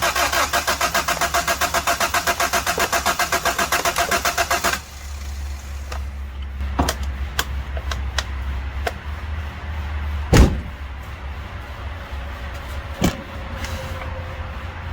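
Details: 1991 Honda Civic hatch with B16A swap, after an injector fell out of the 40 psi fuel rail and was zip-tied back: steady fast cranking about four beats a second for nearly five seconds, never catches, scattered pops follow; crank no start.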